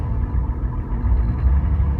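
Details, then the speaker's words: Car's first start of the season after sitting since last season, still warming up around 5 minutes in, deep idle rumble wavers and hunts after throttle release as the ECU modulates and runs rich; it needs more tuning. "So you can kind of see that, the ECU trying to modulate, all the different settings and all that. You can see how rich I go right away. It just needs a lot more tuning."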